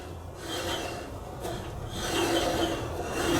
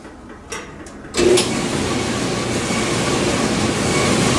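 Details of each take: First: 1982 Kenmore 110.86171 dryer, about 43 years old, motor turned slowly by hand: dry, raspy squeak, owner suspects a worn motor bearing; belt idler tensioner also tight; motor, idler and drum seal later replaced. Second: 1982 Kenmore 110.86171 dryer on air-fluff test run after replacing motor, belt idler and rear drum seal, which had squeaked as if seizing; drum builds to a steady, even rumble at full speed, no squeal or thumping, running normally.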